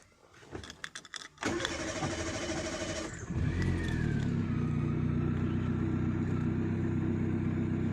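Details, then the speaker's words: Chevrolet Spark that had a no-start fault, just after its cut ignition coil wires were soldered: keys rattle, the starter cranks, and the engine catches and settles into a steady, even idle, now starting normally. "और हमारी गाड़ी start हो गई"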